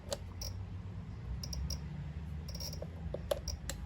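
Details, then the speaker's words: Honda Magna on test power: sharp irregular clicks over a faint low hum, ticking like a voltage-starved relay or solenoid; system very low on power; starter turns the engine, so not seized; cause of clicking unknown. "Listen to how dead she is. She's definitely ticking over here."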